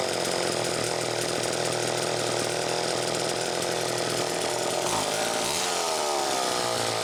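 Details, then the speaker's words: Chainsaw test run after fuel tank mounting repair (screw pushing tank into crankcase to take up slop), muffler cap a little loose: steady high two-stroke buzz, bogs slightly into the cut, no stumbling; sounds healthy, normal running. "okay well brian that makes me feel a hell of a lot better quite frankly just to hear it run and i didn't have to get into the car which makes me feel great honestly"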